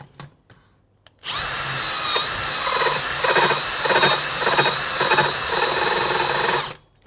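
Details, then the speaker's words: Cutting valve seats on a Moto Guzzi Le Mans 1000 head after K-Line guide inserts, with a drill-driven vibro stone seat grinder under load: high steady drill whine with pulsing chatter about three per second as the stone vibrates; working properly, lightest cut. "you could hear it hopefully you can hear it vibrating on this on the stone"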